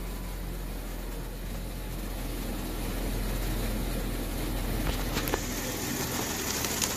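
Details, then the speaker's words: 2016 Jeep Wrangler Unlimited V6 after swapping out a bad ignition coil that caused misfires. Low even idle with no stumbles, and misfire counters read all zeros. Normal idle. "all right we got it running again there's our misfire data all zeros"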